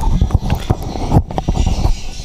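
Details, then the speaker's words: Honda Vario 150 scooter, rough noise when riding, drive belt removed and rear wheel spun by hand: rough, lumpy thumping and grating each turn; suspected pulley or final-drive gearbox bearing grinding. "Nah suaranya seperti itu jadi kasarnya Bukan main nah suara kasar ini bisa di bagian puli sini bisa di bagian bearing gearbox"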